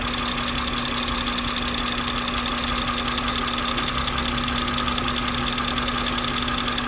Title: B58 loud ticking noise